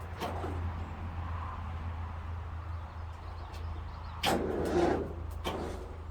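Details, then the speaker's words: International Harvester 434 gas tractor that had sat unused, after cleaning and tightening the starter wire and boosting a weak battery. The starter cranks at a steady, healthy churn but the engine never catches: cranks, no start. "Well, starter sounds healthy enough. Sounds like we need a better boost."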